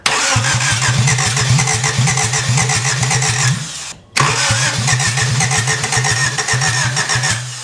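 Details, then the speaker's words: 1991 Honda Civic after head gasket replacement, throttle held open: starter chugs slowly and evenly, about six turns a second, fading twice without firing; slow cranking from weak battery, it later fired. "Battery sounded weak. It's working. It's One more time. Oh yeah, it just needs more juice."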